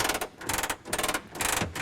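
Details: Messerschmitt Bf-108 under restoration, handle twisted to down and gear cranked down manually: quick smooth bursts of fine ratchet clicking, one per crank stroke; gear lowers normally.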